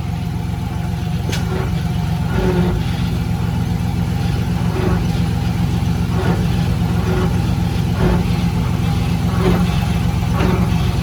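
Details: GMC Sierra idling on the lift, noisy at highway speed even unloaded: dull, uneven knocking from the rear axle about every second; diff yoke visibly lifts and leaks fluid, failed pinion front bearing; rear axle assembly replaced.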